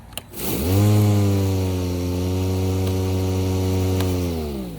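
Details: Milwaukee electric lawn mower, power button held in by a clamp: motor spins up to a steady hum and holds even pitch for several seconds without dropping out; runs normally.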